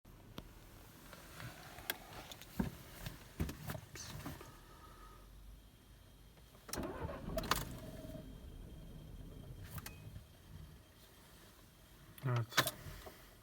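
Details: VW Tiguan 1.4 TSI on a cold morning: the starter cranks in short uneven bursts, the engine catches briefly then dies, repeating each time; hard cold start with stalling after starting.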